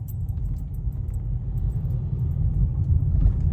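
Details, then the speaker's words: Car driven over potholes and speed bumps after a suspension repair: only low road rumble; the earlier metal-on-metal knock, as if there were no shocks, is gone. "Vamos a ver cada vez que pasaba así unos bachecitos se sentían los golpeteos que daba. Aquí viene otro tope. Está vamos a cararle otra vez. Ahí está, ya no se escucha."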